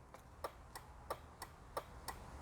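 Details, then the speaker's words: BMW Z3 after replacing the hazard lights switch with a new Vemo unit and refitting the blade fuses: crisp, evenly spaced ticks about three per second in a quiet cabin; hazard flasher cycling normally and shuts off. "don't know if you can hear the blinking, but working like a dream. Also shuts off."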